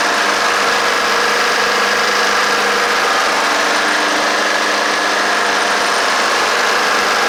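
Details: Honda HRR216 lawnmower started after a basic tune-up: steady, even engine note holding one speed with no misses, knocks or surging; the small engine runs normally.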